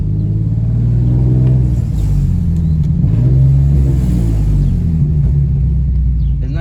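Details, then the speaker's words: Infiniti G37 driving with windows down: deep raspy rumble that swells as the car pulls away under throttle, with a chattery edge on top, from an exhaust leak before fixing with gasket maker. "i'm gonna drive so you guys can hear it it just sounds horrible"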